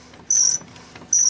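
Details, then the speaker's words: Epson L800 printer, about 60,000 prints, never serviced; carriage drive shaft cleaned and relubricated and tensioner spring replaced, yet two sharp high-pitched quarter-second squeaks persist as the carriage moves; worn carriage motor. "Слышите, какой жуткий скрип? Но так как все смазано и все работает, достаточно в таких приемлемых режимах, то остается только он."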